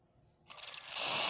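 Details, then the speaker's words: Rocket espresso machine after full service (pump had stopped, level probe cleaned, both boilers scaled), steam wand test: silence, then a sudden strong, steady high hiss that builds and holds evenly. The steam wand works well with full pressure. "That works amazing."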